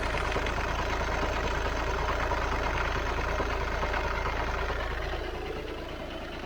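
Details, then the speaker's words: VW Passat diesel with DSG automatic, high mileage, at idle after a quick off-and-on restart: loose regular rattle about 3.5 per second under a low drone, absent on the earlier test drive; owner suspects the dual-mass flywheel. "i'm going to say that's dual mass flywheel unless there's something else rotational that i could have upset turning the car off and back on again very quickly"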